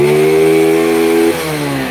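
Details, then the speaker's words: Honda Grand motorcycle, CDI comparison test with a FEX aftermarket CDI fitted: high clean steady rev dropping off smoothly, no misfire; revs lighter and freer than Fukuyama and SDG CDIs, keeps running despite problematic pulser; healthy free revving. "Kita coba dulu makjleb. FEX. Wih, anjir, ini lebih enteng dari Fukuyama, Cuk."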